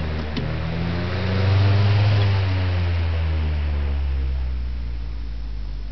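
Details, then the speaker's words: Rare unrestored Adams Bagnall-Jandus 12-inch stationary fan with Adams Bagnall split-phase motor, switched off after running; low steady hum sinks and fades during coast-down with the centrifugal switch too quiet to hear, a smooth, healthy spin-down. "no it's so quiet you can't even hear it it's such a perimeter switch but it's the quietest centrifugal switch i've ever heard"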